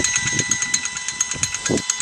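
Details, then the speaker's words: Used Lewmar V700 anchor windlass for a C-Dory 22, rebuilt and lubed, bench-run on a 12V truck battery in forward (anchor-in) direction: quick, even gear ticking over a light whir, no grinding or stalling; spins smoothly, normal running. "So it's spinning pretty smoothly, and that's going to be like forward, you might say, or pulling the anchor in,"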